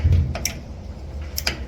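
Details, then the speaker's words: Admiral washer after lid switch replacement (WP8318084), top cover refitted: two crisp single clicks about a second apart as the lid moves, the new lid switch seating and actuating cleanly, normal. "you can hear the clicking make sure your clip is in place click in"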